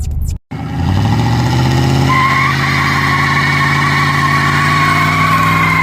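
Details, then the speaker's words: 1985 Pontiac Parisienne Brougham small-block while driving: steady high-pitched chirping squeal likened to budgies or parakeets sits over engine and road rumble and holds constant; source unknown. "Sounds like budgies or parakeets are stuck in there. Can't even tell it's there."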